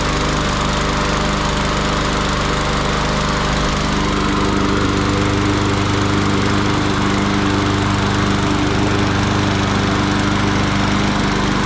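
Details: Yard Machines 21" push mower, Briggs & Stratton 500E 140cc, sat all winter and wouldn't crank; after spring tune-up a strong, steady drone at constant speed, no surging, misses or knocks; normal running.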